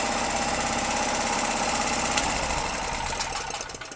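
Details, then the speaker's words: Gasoline generator that wouldn't start after long idle; valve clearance was checked with a 0.2 mm feeler and WD-40 was added. Steady, even buzz with no hunting or missing while running under grinder load, rpm raised via the speed screw. Normal running. "То есть мы его включаем , запускаем. Как вы можете видеть и слышать, всё работает безупречно."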